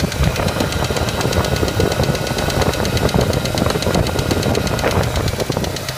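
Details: Ford Ranger: quick, even ticking over the idle, keeping pace with the engine; light top-end tick of unknown cause.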